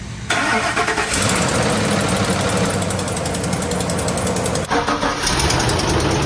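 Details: Ford F-150 5.4 3-valve, replacement engine botched by previous shop: on restart a quick, even tick-tick-tick rides over the idle then fades; lifter or oil-flow tick suspected, not confirmed; exhaust leak on passenger side also present.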